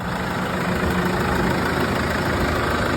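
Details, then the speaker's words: Case 115A tractor that wouldn't start, after a makeshift wiring connection to the battery while a part is awaited: a steady even low rumble at a settled idle with no misses, knocks or surges; running normally. "Diagnosed it. Kind of fixed it. But it runs."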